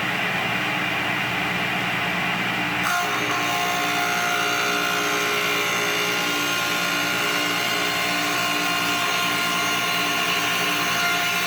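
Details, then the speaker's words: Belt-drive table saw motor, remounted and oiled, first startup in over 10 years: comes up to speed in about a second, then steady even hum with no knocks or rattles; runs healthy. "so just plug it in turn it on see how she sounds all right how's your sound oh pretty good wind her up"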